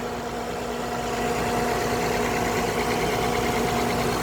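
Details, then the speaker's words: 2007 Honda Odyssey, front-end wrecked, reportedly running fine before the accident, heard under the open hood while checking before repair for sale; steady, even idle with a smooth hum and faint belt whir, no knocks or squeals, engine and belt sound fine. "sounds good. I'm gonna turn it around. All right, now it may sound different by coming through the video. I have no clue, but it sounds good. I know what I'm listening for."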